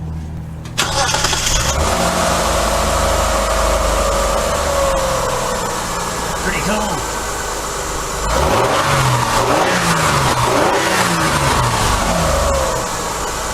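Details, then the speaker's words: 2000 Mitsubishi Magna TJ 3.5 L, after fixing an ignition fault (cylinder 3 dead, faulty plug lead replaced, inlet manifold refitted): fires straight up into a smooth, even, snug idle with clean blips and no miss. Normal start and idle. "sounds nice and snug it got rid of that"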